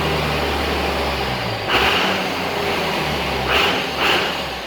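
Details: Cummins-swapped squarebody Chevy diesel truck started after installing dual plastic fuel tanks with one filler neck: steady diesel idle, even low rumble with a couple of brief rises, doesn't seem lacking in fuel; normal idle.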